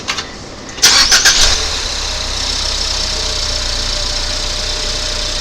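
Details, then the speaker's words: 2019 Ford Fusion 2.0 EcoBoost with the alternator belt removed: engine cranks, catches and settles into steady even idle, earlier noise gone; noisy alternator was confirmed by running with belt removed. "So hopefully you'll hear that the noise has gone away"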